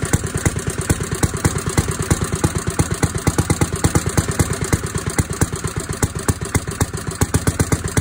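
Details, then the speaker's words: 1937 Briggs and Stratton Model A single-cylinder engine after restoration: steady put-put about three beats a second, no knocking or abnormal noises, running well. "but it ran and it sounded pretty good no abnormal noises or anything unusual no knocking nothing"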